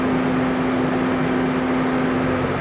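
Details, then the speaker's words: Off-highway diesel driving hydraulics, Webtec flow meter loading valve wound in to maximum pressure against the remote block relief valve. Steady mid-pitched drone, rpm holding flat; engine pulling the load normally, no harm. "Now in this situation there is a relief valve within the remote man remote block which means we can't even if we restricted all the flow all the way up. We're not going to cause any problems. We're just at maximum pressure."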